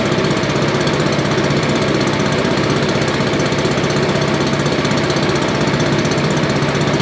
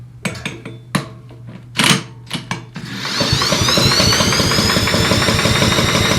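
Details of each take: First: Roadside-found Billy Goat leaf blower with Briggs & Stratton 9.5 hp single, sooty plug and low compression noted, run with choke; steady even chug at constant speed, no misses or backfires; running normally. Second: Briggs & Stratton 9.5 hp engine on a Billy Goat leaf blower, spark plug out for compression test; handling clanks then steady fast even starter whir; reads about 55–60 psi, low compression while cranking.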